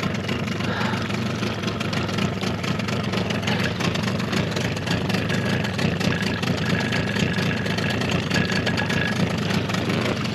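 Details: Suzuki DT 9.9 (15) two-stroke outboard, new, first start after over a year unstarted since factory check, cold snowy weather: rough uneven burble at idle drifting 650–850 rpm before warm-up; cause unclear.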